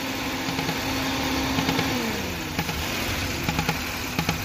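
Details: Old-model Maruti Suzuki Wagon R: steady idle with a drifting hollow tone and scattered light ticks; traced to the EVAP canister pipe disconnected.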